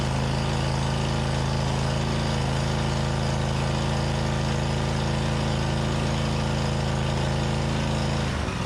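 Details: Snapper zero-turn mower with Briggs Vanguard 20hp V-twin, test run after starting system (starter/solenoid) work and rehooking: even, steady idle with smooth low thrum, no misses or knocks; normal idle.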